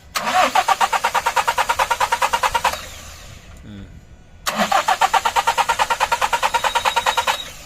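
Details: Hino 200 series diesel (1GD/2GD) that won't start after sitting overnight, scan code injector driver circuit performance bank 1, wiring, relays and fuses to be checked: two cranking bursts with even compression beats and no firing. Crank, no start.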